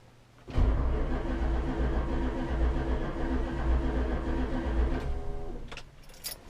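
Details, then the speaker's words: 1966 Chrysler 300 with 383 V8 on a newly installed Holley Sniper EFI, RPM signal now fixed: about 4.5 s of steady, even cranking that never fires; the EFI works but fuel pressure has not been verified. "Okay, update. No start condition. The Holley EFI is doing everything that it's supposed to do."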